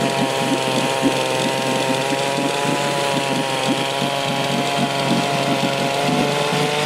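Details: 1972 Johnson Seahorse 6 hp outboard (6R-72D), first start in about 20 years after fresh plugs and fresh gas: small two-stroke buzzes at a steady, even speed with no stumbling or misfire; runs smoothly.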